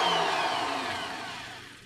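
A smooth, even whir from the drill as it spins down, with no wobble, rattle or knocking: the bit is running true.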